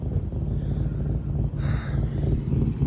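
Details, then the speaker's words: Mercury, just checked that it still runs: low, uneven putter around three pulses a second under wind noise; sounds rough and unhealthy. "Mercury is not sounding too good."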